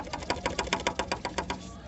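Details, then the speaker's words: Ford Fiesta Zetec Rocam: quick light tec-tec plastic taps from a loose shock absorber dust boot hitting the shock rod up top; refitting it onto the mount fixes it. "barulho na suspensão às vezes é só isso aqui solta olha como que faz barulho ó"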